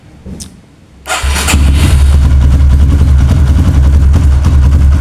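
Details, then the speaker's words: Kawasaki KLX with a new battery, fully charged then charger removed, in a repeated-start test: quick strong crank catches almost at once into an even single-cylinder idle; the battery managed 13 starts and is judged normal so far. "Nah, ini mampu 13 kali starter Pak ya. Nah, untuk sementara kita nyatakan aki masih normal Pak."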